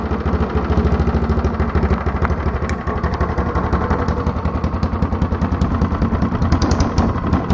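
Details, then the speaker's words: Mostly stock Honda clone single with 10 lb cast-iron flywheel and cam modified, started on choke; even, low thumping at a brisk steady pace with light valve clatter after compression release disengages; normal start-up and run. "Sounds really good. Alright, so you could hear when I was starting it up and stopping it, there was a little bit of a change in the sound."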